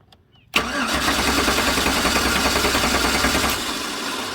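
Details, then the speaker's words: Stolen-and-recovered 2009 GMC Sierra 1500 4x4 with diesel found in tank, fed gasoline from a flushing tool at about 58 PSI: starter cranks steadily at about three and a half turns a second but never catches; fuel pump not running, no injector pulse suspected. "let's see if it'll start it's like there's no injector pulse let's shut this off where the injectors are stuck or something so now this fuel gauge is on the so the fuel pump's not running"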